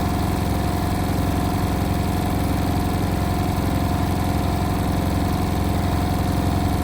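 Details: Indesit WIL143 washing machine on final spin at 1400 rpm: steady drone with a strong, regular thumping pulse nearly four times a second; strange noise, cause unknown.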